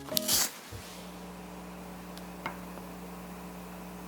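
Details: Monsoon PlanarMedia 14 PC speakers: faint steady mains hum near 60 Hz with buzzy overtone near 180 Hz, present regardless of satellite speakers, pointing to the subwoofer; cause unconfirmed.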